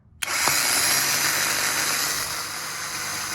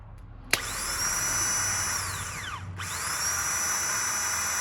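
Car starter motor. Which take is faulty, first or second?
first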